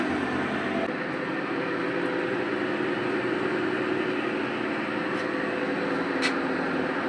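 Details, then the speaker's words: LG top-load washing machine making excessive noise during operation: loud, steady whooshing drone with low hum; worn clutch rusted from water leaking into it. "ஆனா இதுக்கு அந்த பிரச்சனை இல்லை இந்த clutch வந்து பிரச்சனையாலதான் இந்த sound வந்து வருது."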